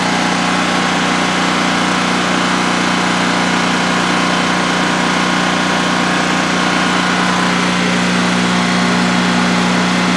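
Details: New DuroMax XP15000HX generator installed in a shed, second start-up on propane with the exhaust fan off: a steady, even drone with no misses, knocks or surging through a 5-minute test run. Normal idle, running well.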